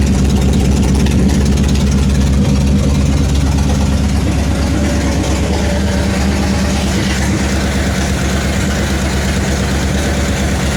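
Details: 1966 Ford Mustang idling after brake and tank work: loud, deep, uneven idle with raw blatting exhaust at the engine; exhaust pipe broken off at the header, running off the header.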